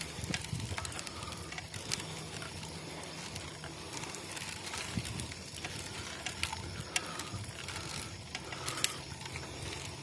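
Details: Boardman SLS 9.8 road bike in motion, irregular light clicks and ticks over a hissing, crackly background; source unidentified.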